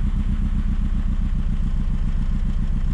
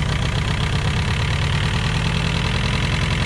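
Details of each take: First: VW Scirocco MK2 ABF engine conversion with rebuilt Yamaha R1 carbs, just after first start; deep lumpy idle, uneven beat about two pulses a second, idle and distributor timing still to set; uneven idle. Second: VW Scirocco MK2 ABF engine conversion on rebuilt Yamaha R1 carbs, first start; idle raised with the idle adjust screw and the distributor cap turned. Fast, even raised idle with a steady low beat, no misses or ticks; runs smoothly.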